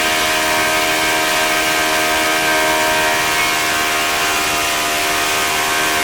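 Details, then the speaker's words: OS FS-40 Surpass four-stroke glow engine, first run after bearing replacement and full clean, new Enya No. 3 glow plug, 11x6 prop at about 9,400–9,500 rpm, warmed up: loud steady high-pitched buzz, smooth with no misses or rattles; running healthy. "it sounded good once it got warmed up and it had the decent idle to so it's a pretty nice little engine"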